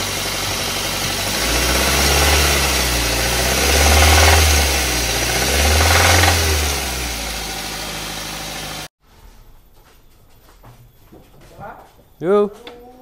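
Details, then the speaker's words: Xenia engine damaged by oil neglect and sludge: rough, loud idle with an uneven deep knock about once a second; bearings suspected spun, leaving play between connecting rod and crankshaft. "nah ini kemungkinan metalnya itu sudah menggulung Jadi udah hancur gitu kan"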